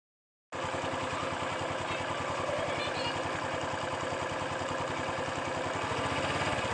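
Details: 2011 Honda Wave 110i, brand new, only 1,000 km, ridden hard before break-in: hard, regular knocking about three times a second over the idle; faulty parts since replaced.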